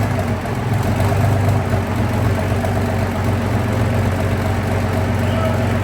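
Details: Big diesel engine test-run in workshop on a very cold day: deep steady low rumble with even firing, no knocks or rattles; running smoothly at idle.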